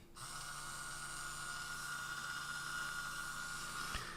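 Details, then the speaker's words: Small DC gearmotor for an Arduino robot car, run directly from a 12 V benchtop power supply through a breadboard, before adding a TIP120 transistor for speed control. Smooth, even high-pitched whir at one steady speed with no knocks or grinding. Normal running. "i can just complete my circuit with the motor here and it'll start to spin which is difficult to see for you so i'll put a little post-it note on there"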